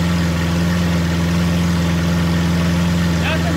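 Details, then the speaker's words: Lamborghini Aventador SV V12, rolled-over wreck being rebuilt, idling at first startup with rocks in the carbon ceramic brakes; steady smooth deep hum, no more hiccups, no stumbles or misses; normal idle. "but it sounds way better now it does yeah it literally no more like hiccups like that sounds really smooth it's crazy"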